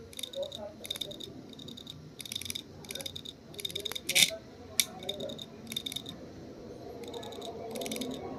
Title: HDD CLICKING SOUND ISSUE